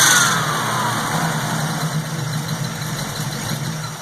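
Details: 1967 Pontiac Firebird V8, warm, after tuning its replacement Holley 670 Street Avenger carburetor: an even, steady burble with no misses, stumbles or hunting, and a settled, smooth idle. Normal idle.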